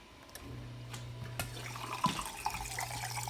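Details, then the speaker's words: Dishwasher on a wash cycle start after a broken plastic fork piece was removed from the sink air-gap diverter; steady low drain pump hum with water rushing freely through the air gap, no gurgling, normal drain pump flow. "and you can hear the water freely flowing."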